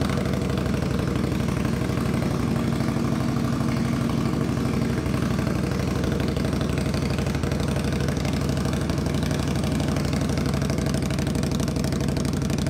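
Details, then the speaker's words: Cold start idle on a 2021 Indian Scout Bobber Twenty V-twin with Vance & Hines Twin Slash slip-on exhaust, before quieting with baffle material: deep, loud, lumpy idle pulsing two to three beats a second; exhaust excessively loud. "loud holy [ __ ] oh my God it's so loud pretty cool"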